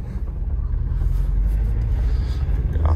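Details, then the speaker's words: 2008 Audi A4 2.0T Quattro 6-speed manual from salvage auction, fuel four-plus months old, driving under load: deep uneven drone with faint stumble breaking the rhythm; turbo works but one cylinder misfiring. "got a little stumble turbo still works but i can hear the misfire"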